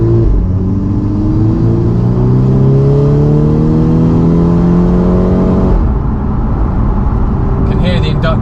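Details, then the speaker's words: Previously repaired Golf R MK6, reportedly unmapped, with ram air induction kit, on road test after exhaust rattle fixed (offside front wheel bearing noted): deep intake roar climbing smoothly through a gear then clean shift, no weird noises. "it's got a Ram air induction kit fitted fur"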